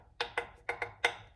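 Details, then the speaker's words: Used carbon bicycle frame being refurbished, knuckle-tapped at a goobery damaged area on its back side. Five taps, some flatter and duller than the crisp ones. The dead spot gives a lower thud, meaning the carbon is compromised. "that goobery mess has a dead spot. This is a carbon frame, so when you have a dead spot, it sounds like a lower thud sound versus the rest of the frame."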